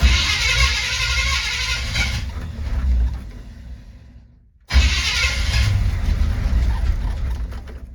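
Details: 1970 Chevy C20 truck V8, little fuel in the tank, choke not hooked up: catches and revs unevenly, fades out and dies, then refires; hard starting, won't idle right away.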